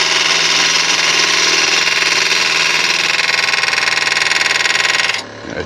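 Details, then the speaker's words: Wood lathe turning Malaysian acacia sapwood napkin rings: a harsh fluttering rasp pulses about three times a second as the tool rides a hard spot in the wood. The turner first suspected a nail; it is tool chatter. "need to be damaging the tool it must just be a hard piece of wood"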